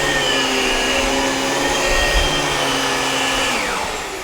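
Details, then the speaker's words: Dyson DC17 upright vacuum after brushbar and belt replacement: smooth, steady motor whine, much quieter, with none of the earlier rattling. "let's plug it in and see if it sounds any better much quieter none of the rattling sounds"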